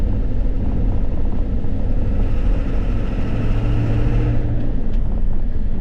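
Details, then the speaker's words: Ford F250 7.3 diesel with 500k miles after turbo repair, on the road: deep steady drone with a faint tone rising as it pulls away; runs smooth and even, sounds healthy. "There, she's pulling up. Sounds good."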